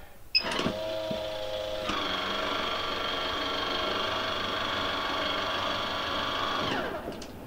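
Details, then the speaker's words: MaxxAir MaxxFan 4500K RV roof vent, after replacing the operator mechanism (MA10-20281K) to cure loud clicking, opening with the Max2 cover on: a steady, even five-second motor whine with no clicking or catching; the lid opens smoothly. "well that was pretty smooth now close the lid with the max2 cover on"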